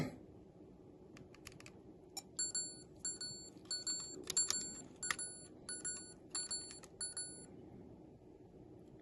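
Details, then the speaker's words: Sony Handycam DCR-HC19E camcorder from about 2004-05 with faulty tape mechanism, after attempted repair: about ten short high double beeps roughly once per second over faint hiss as tape is reinserted, showing error C:31:40, a load error. "Well, what's that error? What is that one? Load error is basically what it is."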